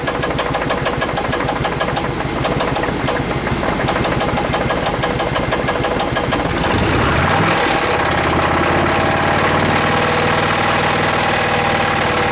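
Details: Chevrolet Suburban engine at idle, after replacing plugs, plug wires and rotor and an additive treatment through fuel and brake booster vacuum line: rapid regular knocking, about three per second, then a fainter squeak; later traced to one rocker. Knock and squeak.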